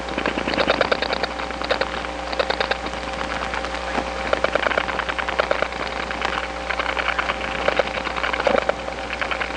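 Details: Bursts of fast, even clicks, about ten a second, over a steady hum, heard in the receiver after dialing two digits on an Atlanta step-by-step line (1976-1981 analog network): other subscribers' dial pulses strong enough to leak between trunks.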